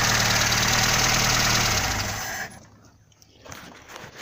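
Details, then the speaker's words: Warm VAZ (Zhiguli) engine idling fairly evenly with only a slight shake, no clicks or knocks, sounds like a normal healthy engine; the knock was traced to the alternator's lower mount, and the small vibration is still unexplained. "Также потихоньку трясется, но щелчков, стуков нету. Работает как обыкновенный жигулевский двигатель."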